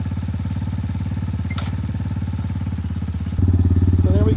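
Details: X-Pro Titan 250cc single-cylinder dirt bike, first start after sitting all winter, cold and warming up: even thump about 210 beats a minute, then the beat firms up; steady idle, no stumbling.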